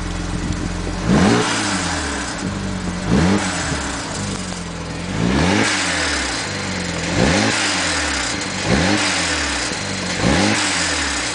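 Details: BMW 135i with N54 turbo petrol engine: repeated quick revs, each followed by a loose metallic rattle as revs fall; suspected wastegate rattle, not confirmed.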